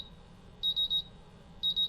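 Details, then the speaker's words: MultiRAE gas detector bump test with calibration gas: shrill beeps in groups of three as the CO and H2S sensors go into low alarm. Buzzer, LEDs and vibration all work. "So now the CO sensor is in a low alarm and the H2S sensor is in a low alarm."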